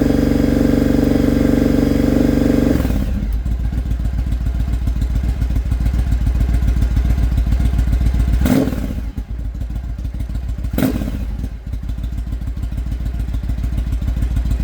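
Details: Engine misfiring after fitting a 2-into-1 exhaust, high-flow filter and jet kit. An uneven stumbling idle with irregular pops and dropouts between revs; the owner suspects the carbs still need tuning (rich/lean or ignition unsure).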